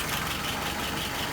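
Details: Repaired engine that previously had a stumble, idling about 660 rpm with about 23 on the vacuum gauge: low, steady idle with an even beat and no knocks or misses; smooth and healthy.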